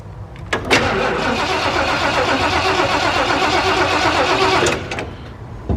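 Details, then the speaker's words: Camper first start after exhaust manifold job, sitting about two months: engine cranks about four seconds at a sluggish uneven pace without catching; battery suspected low, gas pumped and battery charger to be added. "sounds like the battery might be a little low give it a couple pumps i'm going to throw a battery thing on it"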